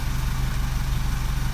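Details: 2009 Vauxhall Corsa D 1.2 petrol, idling after crankshaft sensor replacement fixed P0335, now starting first time with no codes: smooth, regular low idle beat that holds steady with no stumbles or misfires.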